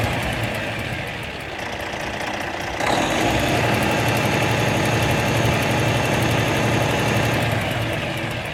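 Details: Car engine idling with a steady light clicking, about four clicks a second, over the running note; suspected bad camshaft, not confirmed.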